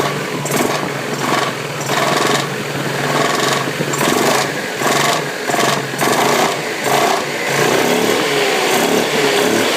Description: Посторонние шумы при работе вариатора макси скутера Yamaha Majesty 400.